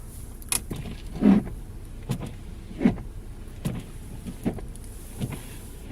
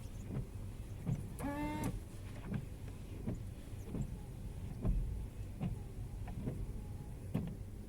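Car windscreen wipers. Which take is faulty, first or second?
first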